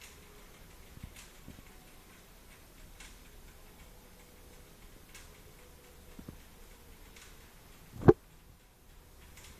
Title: clicking noise while pedaling